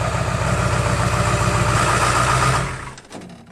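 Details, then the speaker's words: 2002 Ford F-350 7.3 Powerstroke diesel, about 297,500 miles, before oil pan, seals and coil-spring axle swap: steady, even diesel clatter at idle, then smooth shutdown; healthy, runs well. "there's nothing visually wrong and don't get me wrong this truck runs awesome"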